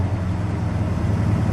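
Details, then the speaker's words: 1975 Dodge Charger Daytona with a 360 CI V8, automatic: a deep, steady burble after a rev that stays fast; the idle sits too high and won't go any lower. "It sounds like it's a little high idle right now. Well, take it down. I think it's got a little high"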